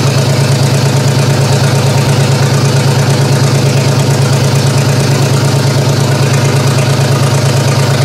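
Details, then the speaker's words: GM 3100 V6 swapped into a Camry derby car, first start-up, fuel from an old tank: loud uneven lumpy idle about twice a second; cylinder number two likely not firing, vacuum leaks also present, owner suspects a coil pack; misfire. "there's some big vacuum links but cylinder number two which it is I'm pretty sure it's this one 3d pretty sure it's this one you're not firing"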